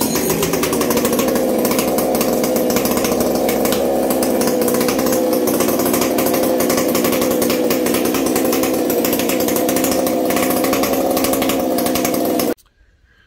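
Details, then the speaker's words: Chainsaw fired up without choke, after earlier going stale. Crisp steady two-stroke howl held at high revs, no stumble or surging; sounds crazy strong, normal running. "i just yeah no no it'll go i guarantee it that sounds crazy"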